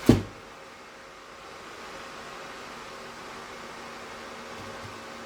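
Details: Tork CAB-50 plasma cutter that won't cut: a sharp click at switch-on, then a steady airy hiss over a faint low fan hum; the fault is linked to compressor air pressure, with no arc when pressure is missing.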